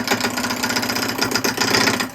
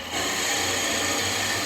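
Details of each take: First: Turning a spalted-wood vase blank at slow lathe speed (about 800–900 RPM). The piece wobbles and shakes, giving a rapid, rough, buzzing chatter with uneven rhythm and breaks between passes; the cut sounds and feels bad. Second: Drilling into spalted wood (possibly beech) on a lathe after waxing the bit to stop squealing; the bit stays cold. Even hiss of cutting and rubbing with no rising squeal; drills smoothly, and speed would be lowered further if screeching returned.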